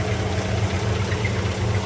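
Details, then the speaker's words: 2020 Silverado 3500 with the L5P 6.6 Duramax diesel, oil level full and no visible metal flakes, on restart: rough low idle with a heavy thudding pulse deep in the block and the engine hopping; spun connecting rod bearing, catastrophic internal failure. "that thing hopping around yeah it's that's a spun connecting rod bearing all day she's junk this engine has suffered an internal catastrophic failure"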